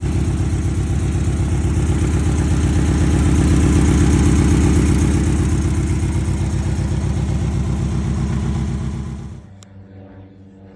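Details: 2006 Chevy HHR four-cylinder petrol engine idling with steady rhythmic stumble, about four beats a second; code P0301, cylinder 1 misfire.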